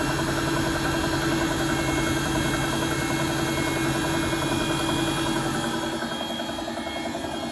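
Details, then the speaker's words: Bosch WFP3300 washing machine being descaled with 2 dishwasher tablets, spin ramping toward 1600 rpm: a heavy rumble with a regular thump about 2.5 times a second. The owner wonders if it's bearings; slapping noises were later linked to limescale. "I wonder, is that noise bearings? That tuka."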